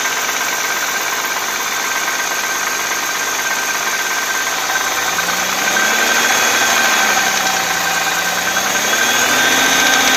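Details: Audi A6 C4 2.6 V6 (ABC engine) at cold idle with a steady metallic tapping, about three and a half per second, over the engine hum. An oil change made no difference, and the knock is unexplained.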